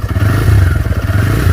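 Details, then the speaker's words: TVS Raider after its second service, engine running after 30 km where the ticking used to start by 10 km: deep, even engine pulse with no ticking; tappet clearance at the piston was adjusted, engine now normal. "अभी जो टिक टिक की आवाज आ रही थी ठीक है वो अब नहीं आ रही है। 10 कि.मी. ही चलने के बाद भाई बहुत ज्यादा आवाज आने लगता था टिक टिक की। लेकिन 30 कि.मी. हो चुके हैं। अभी कोई आवाज नहीं आई। इसका मतलब सही हो चुका है।"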